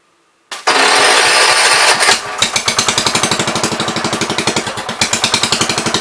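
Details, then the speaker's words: 1973 John Deere 110 lawn tractor, long parked: single coughs to life, ragged uneven chuff that surges and stumbles; carburetor suspected dirty, probably needing cleaning, then carb adjusted; rough intermittent running. "It was running there. It's getting better. I probably just need to clean this carb out of carb cleaner. It sounds good when it runs."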